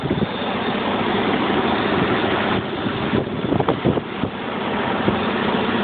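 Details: 1995 BMW 750iA, M73 V12, 170,000 km, rough cold-start idle felt in the steering wheel and chassis, with a light metallic tapping from the lower passenger-side engine bay; seller suggested a possible exhaust manifold hole, cause unconfirmed.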